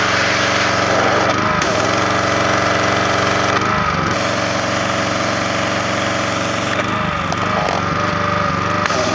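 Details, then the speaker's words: Repaired Troy-Bilt Professional pressure washer spraying: steady small-engine drone with pump hiss and brief load dips as the trigger cycles. Runs and sprays normally. "we'll start it up and check out the sprayer it works perfect check this out what a good deal this was"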